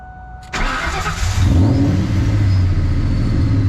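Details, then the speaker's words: Procharger-supercharged Ford Mustang Mach 1 with tuning problems, bypass valve swapped back to original: engine catches after brief crank, then deep uneven wavering, hunting idle; hard to keep running, cause unconfirmed (bypass valves or tune suspected). "let me get to the uh wideband sensor now because getting a little annoyed and losing daylight took a little effort to get her to stay on"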